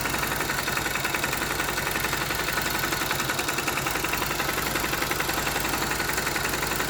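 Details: Honda GL Max Neotech motorcycle engine before teardown, owner complaint of rough noise, oil seepage, possible low compression: harsh fast idle clatter about four taps a second from head and clutch area; top-end rattle from stiff timing chain link and scored rocker arm.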